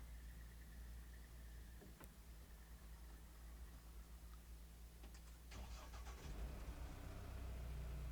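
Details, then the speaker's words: Mahindra Roxor turbo diesel heard from inside the cab at start-up, after a Dirt Legal intake retaining bracket was fitted against boost leaks: the engine catches and settles into a steady idle with a low rumble and no hiss or leak noises. Normal start. "And this is a perspective from inside, starting up the Roxor."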